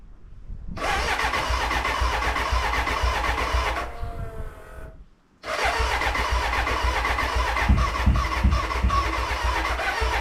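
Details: BMW K100 café racer first start after rewiring, tank newly fitted and fuelled: starter churns in two long runs with uneven puffs, almost catching but never running, a cranking no-start; owner suspects the battery died and will recharge.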